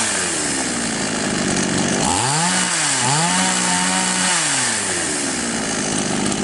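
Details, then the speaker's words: Chinese copy of Stihl MS660 chainsaw that started but stalled on throttle, after opening the carburettor screw nearest the cylinder about half a turn and then a bit more: revs up cleanly and drops back, pitch smooth with no stumble or bog; normal running. "Таким образом, инструмент работает в обычном режиме. Мы завершили настройку."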